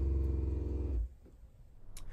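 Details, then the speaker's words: RV fresh-water pump with broken check valve, city water bypassing it into the tank: loud buzzing runs about a second, cuts out, then restarts with taps shut, cycling repeatedly; failed check valve. "And you can hear it pressurize. Now it's finished pressurizing. And now it's starting again. That's not good. And there it goes again."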